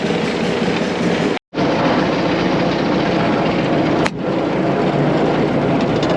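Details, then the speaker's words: About 100-year-old Caterpillar grader, after fitting a $55 part, driving out to the front of the property under its own power. Steady, even chugging through a gear change with no popping or backfiring, where before it struggled. Best it has run; normal running under load. "all right super excited right now this is hands down the best of Greater has run since we've had it we're driving out towards the front of the property right now she's just chugging along she's not backfiring she's not popping things are just great right now"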